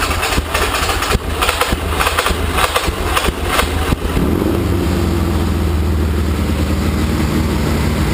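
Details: 1981 Laverda 1200 TS Mirage triple first start since 2003 after new cam chain, valves set, base timing, rebuilt carbs, new airbox and exhaust; cranking bursts, catches at four seconds, steady even idle on choke; normal, slight carb fuel leak.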